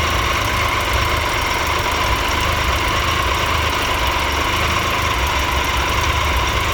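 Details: 2013 Triumph Tiger Explorer, 31,000 km, after dealer valve clearance check and adjustment; fast light ticking at idle, less than before but still noticeable.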